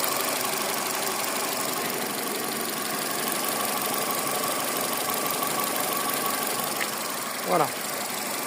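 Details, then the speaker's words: Car engine, timing belt replaced a few months earlier, no oil leaks, idling with a steady, even hum and no knocking or ticking; engine sounds healthy, normal idle. "tout est sec et le moteur passera bientôt au carcher pour le nettoyage complet de celui-ci et écoutez je n'ai aucun claquement moteur"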